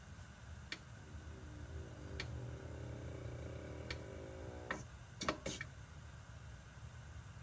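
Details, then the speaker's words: BMW E60 M5/E63 M6 SMG hydraulic pump during INPA bleeding after topping off with CHF-11S fluid (about 20 minutes): quiet steady low hum, faint wavering whine and a few sharp clicks; running normally. "So you can hear the SMG pump just making noises as it's working."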